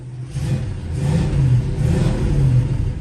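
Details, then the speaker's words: 1966 Oldsmobile Toronado V8, about 79,800 miles, stored indoors; fires right up at once and revs smoothly and deeply with no misses or knocks; healthy start-up. "Go ahead and fire it up. See, the thing fires right"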